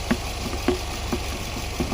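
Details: 2019 Nissan Pathfinder 3.5L idling and warming up, fuel trims correcting, air filter clean; even idle with a few faint light taps about twice a second; normal idle.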